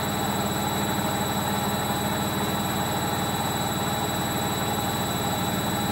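Loud continuous rumbling roar through the spin, steady with a pulsing undertone about three times a second; worn drum bearings.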